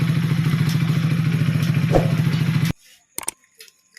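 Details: Hero HF Deluxe BS6 fuel-injected motorcycle with a standing (stalling) problem, after a full fuel pump change. The single cylinder runs at a smooth, even idle with a steady low thump, no stumbling or surging, then shuts off cleanly; sounds healthy.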